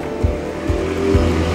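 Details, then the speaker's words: Two-tub Sken washing machine spin dryer, loaded with laundry: heavy low thumps about twice a second as it shakes violently and never settles. It spins fine when empty. "Ya, benar sekali. Benda itu bergetar hebat, bergetar terus-menerus."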